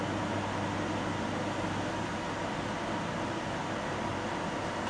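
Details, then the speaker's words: Samsung CM1929 commercial microwave with two magnetrons, running at full power before the fault is simulated, drawing 14.7–14.8 A from the mains: steady hum with low mains buzz and fan rush, no arcing; normal operation. "so that's running now full power both magnetrons are on and we're drawing 14.8 amps from the mains of 14.7 then"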